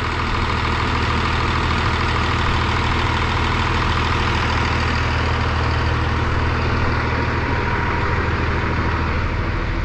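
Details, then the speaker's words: 12-valve Cummins 5.9 diesel with VE pump, after sitting 15 years, now hot: steady even idle clatter with deep consistent thrum, no misses or knocks, no blow-by; normal warm idle, runs like a top. "There's no blow by. Let me find a light. There's a blow by. There's none. Absolutely none. I'm extremely happy right now. This thing runs like a top."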